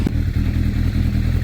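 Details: 1980s Yamaha superbike, carbs rebuilt, stored 16 years, flat battery on jump leads, started on choke; low, ragged thumping with irregular beat that never evens out just after the cold start. Uneven lumpy running.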